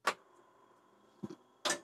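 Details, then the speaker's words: Restored TRS-80 Model II on power-up, before the diagnostic ROM is installed and with no floppy disk inserted. Three sharp clicks in about two seconds are the floppy drive loading its heads normally; it then shows a disk controller boot error. "but sounds like it's working so that's what it should do it should try to uh load there"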